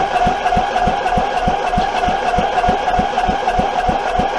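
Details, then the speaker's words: Abandoned Troy-Bilt 23 hp V-twin engine cranking with choke cleaner; sharp regular knocks about three a second, never catches; starter kickback from wrong ignition timing caused by a missing part, no spark at the right time. "that's why we weren't getting spark when we were supposed to and that's why we had a kickback"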